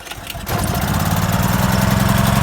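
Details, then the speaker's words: Portable generator, cold, dead battery so pull-started: short pull, catches at once and settles into steady low chug on choke; normal cold start. "I could use the electric start, but the battery's dead. So even though the battery's dead, you can still cold start it and still produce power."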